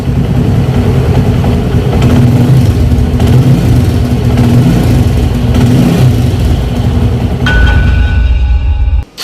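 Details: TVS 110cc motorcycle after timing chain noise fix and timing adjustment: small single runs loud and steady with even revs, no top-end rattle; cam chain now quiet, normal running.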